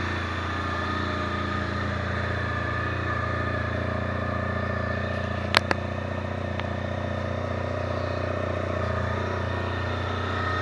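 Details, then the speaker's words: Honda Pan European ST 1300 motorcycle at idle: low, even purr with a steady beat, no knocks or rattles, a couple of brief clicks mid-clip; quiet engine, normal idle. "C'est ça le bruit que ça fait. Ça ronronne."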